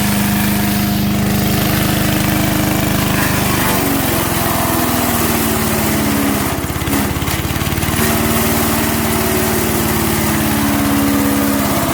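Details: MTD 5 HP chipper/shredder, after carburetor kit repair, chipping branches: steady small-engine drone bogs and picks back up as branches feed through; pulls the load cleanly, runs healthy.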